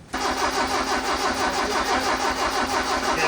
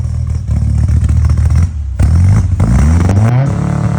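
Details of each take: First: Custom-built carbureted engine, first start attempt, straight mechanical-advance distributor, manual fuel pump, no fuel reaching carbs yet: steady fast chugging of the starter, about three beats a second, with no firing; cranks but won't start. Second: Custom-built Toyota four-cylinder with carbs, velocity stacks and modified straight-advance distributor, first start after build: crisp blips climb smoothly, fall back cleanly to steady idle, throaty intake and cam note; engine sounds healthy.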